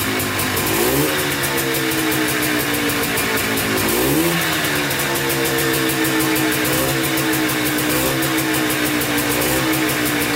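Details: Polaris Trailblazer 250 two-stroke quad, first start after a cheapest eBay piston-and-cylinder top end kit, carb rebuild and new oiled air filter, on choke: fires quickly, steady slightly high idle with clean blips; normal start and idle.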